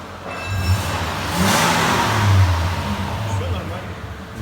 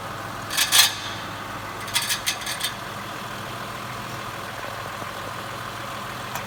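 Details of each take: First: 2014 Mitsubishi Pajero Sport, 37,019 on the odometer: engine revs up and settles with a steady low hum and no rattle, after a loose torque converter-to-flywheel bolt that caused a metallic grinding rising with rpm was replaced and the bolts tightened. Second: 2014 Mitsubishi Pajero Sport, on a lift with the underbody guard removed: faint engine hum with sharp, irregular metallic rattles; one of six torque-converter-to-flywheel bolts had backed out and was struck by the flywheel, its thread damaged.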